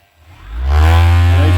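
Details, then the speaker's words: Avhrit 6-inch cordless buffer polisher on the high setting, unloaded: spins up within a second to a steady, smooth high-pitched whir and holds it evenly, seeming to turn plenty of RPM; normal free-running at high speed. "as you hear right here, it sounds like it turns a bunch of RPMs, which is what gives you the hope that it would be a good little handheld high-speed polisher."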